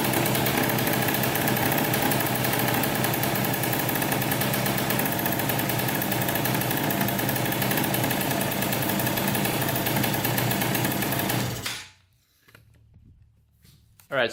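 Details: 2003 Polaris Sportsman 90cc two-stroke ATV after a new top end and oil pump, run with the oil line off to check pump feed. Even, steady popping for about eleven seconds, then a clean shutoff; the pump was confirmed working and it sounds healthy.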